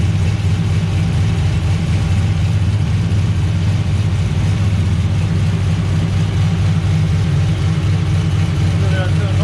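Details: VE with a big V8 said to make 525 rwhp, just fired up and still not road-driveable: a deep, steady low rumble at a fast, even idle with no knocks or misfires; it runs cleanly.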